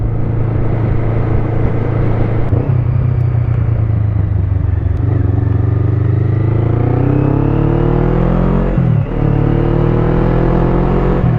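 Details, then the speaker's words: Motorcycle with 140,000 km riding on the road, mic in the helmet at the cheek: steady deep exhaust drone rising smoothly through the gears, with no squeak now that the mechanic fixed the squeak. "Mais là maintenant tout est résolu, elle couine plus ma moto, je suis content."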